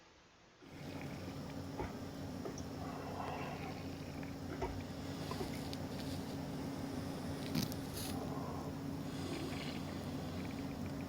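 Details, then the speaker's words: Ground microphone over an underfloor water line leak where water kept rising through the floor vinyl: a steady rushing hiss with uneven spurting pulses as pressurised air, fed in by the detection equipment, escapes from the leak. "쭉쭉 뿜어져 나오는 소리 들리시나요? 쭉쭉쭉쭉 소리가 나요."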